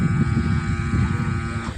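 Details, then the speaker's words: Mania stand fan ready to start but stops, then hums "goo goo"; pedestal fan runs only when pushed. Steady low electrical hum, no blade whir: motor stalled. "तो इसमें problem यह है कि चलने को ready हो जाता है लेकिन रुक जाता है रुक जाने के बाद फिर गो गो का आवाज होता है"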